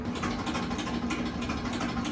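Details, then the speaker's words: Kenmore dryer after repair of a loud knocking noise, with a new belt fitted and wiring reconnected; steady, even drum rumble with soft tumbling and no knocking or thumping; running smoothly. "Here's the moment of truth that you've all been waiting for. I don't hear any knocking."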